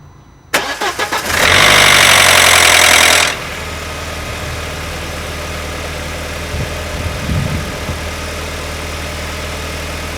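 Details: Audi A4 B6 2.0 20V ALT engine cold start: brief cranking, then loud metallic rattle for about two seconds before settling to steady idle; timing chain tensioner already new, cause unknown.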